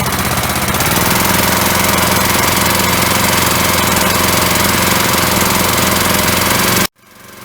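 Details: Briggs & Stratton single-cylinder engine (1978 per code number, size unknown) on an auction-bought hydraulic rescue pump, primed with a little gas: fires right up, runs a fast, even, steady bark with no misses or knocks, then cuts off cleanly; little smoky, probably long unused; normal running.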